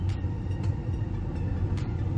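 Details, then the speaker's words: Ford Ranger after cleaning the idle air sensor: deep, steady idle rumble sitting above its usual 750 rpm while the computer relearns and trims fuel, smoother than the earlier rough idle. "It was normally sitting at 750 RPM, and just spraying that out, it's already, it's already got a higher idle here. You can kind of tell the computer's like trying to adjust."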